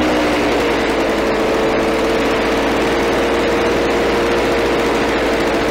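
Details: Victa Power Torque VE40 two-stroke mower after replacing carburettor main jet (engine was flooded at first): steady high buzzing run, even note, no misses or surging; running normally.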